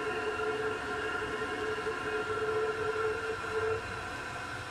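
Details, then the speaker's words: Chinese diesel air heater with rotary controller on bench during shutdown after full-power run: steady fan whir fading, fuel pump clicking very slowly, glow plug likely burning off residues; normal shutdown. "here speed decreasing the pump is still clicking but very very slowly it's probably in a voltage drop on the small voltage drop"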